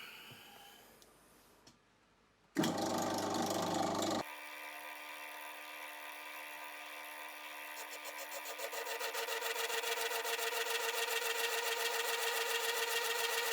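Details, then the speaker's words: Mill taking 3 mm off a Myford ML10 compound slide casting, final cut: steady motor hum, then rapid rough stutter three or four times a second; cutter chatter caused by play in a worn feed screw. "because of the knackered screw, it's chattering quite badly on it as it's stuttering all the way through because it's got play in it."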